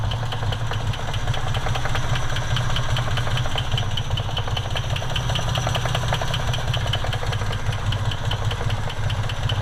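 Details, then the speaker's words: 1970 Jeep Jeepster Commando with original Buick-made Dauntless V6, hood open, power steering. Smooth, even idle, steady low rumble, no knocks, misses or ticks: normal idle. "It's the original Dauntless V6 made by Buick. Power steering. It's all good."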